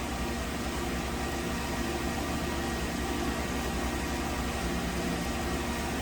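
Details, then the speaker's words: 2015 Nissan Rogue 2.5L inline-four at idle after repair of a suspected stuck intake cam timing solenoid (P0011 overadvanced cam timing, P0300, rough idle, surging, stalling); steady, even smooth idle, no misses. "take it for a road test so just got back from a road test and vehicle's running fine"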